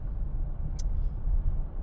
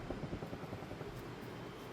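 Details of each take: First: Rear wheel bearing suspected after the customer complained of a rear scraping noise; on the test drive after repair there is only low, even road rumble while cornering with load on the left side, and no scrape or growl. The rear bearing is quiet. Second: Car on lift, rear wheel rocked by hand: dull uneven clunks from play in a worn rear hub bearing; customer reported rear noise, scraping heard on drive; hub and bearing assembly ordered for replacement.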